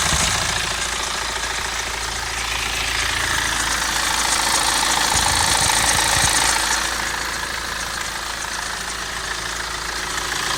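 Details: Idle rattle on a BMW N47 116d diesel: a busy, fast metallic clatter riding steadily over the engine; owner suspects timing chain noise but is unsure, source not pinned down.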